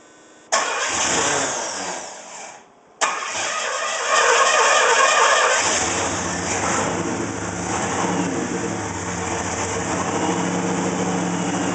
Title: 301 rough idle